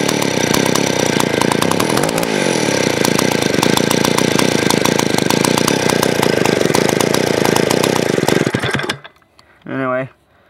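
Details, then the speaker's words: Vintage 1970s Stihl 041AV 61cc two-stroke chainsaw, sat a year with stuck rings: rough, low, uneven idle, then the engine cuts out; owner suspects a sticky carburetor float or idle screw turned down too low. "that time it died on me cuz I guess the float got a bit sticky or else I just turn the idle down a little too low"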